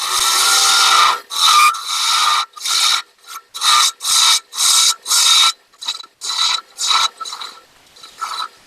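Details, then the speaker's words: Wood lathe turning a madrone finial held in pin jaws. With the bevel rubbing, light slicing push cuts give smooth rasping strokes about twice a second, with no rattle or vibration between them: a clean cut without chatter. "i love that cut where that bevel's resting on there and i'm just basically slicing and pushing the tool that way i'm not putting a lot of force on it and it's it's basically um it's kind of supporting the the wood as far as keeping it from vibrating and things like that"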